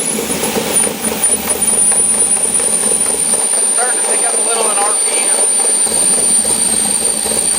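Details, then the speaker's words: LS7-swapped S10 with new idle air log, dead cold start at about 50°F, idle around 500 rpm with IAC fully open: thin, steady high-pitched whistle over soft idle; owner suspects throttle blades too tight until intake warms. "I just think that until they've had some heat and the intake that the throttle blades are just too tight so if I warm it up just for a little bit then it starts idling normal so I'm good our dove dead cold show you whistling noises the iock open all the way"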